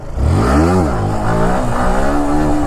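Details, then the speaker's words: Yamaha R15 V4, about 2 years old with 40,000 km: engine revs hard then suddenly sags and cuts out under full throttle during a wheelie; owner suspects tappets, filter already checked twice and replaced without fixing it. "देखो फेंक दिया ना अपना आप भाई, जा रही है फिर ऑटोमेटिक नीचे फेंक रही है। आवाज़ हो रही होगी एकदम में ऑटो कट हो जाती है भाई ये, ठीक है।"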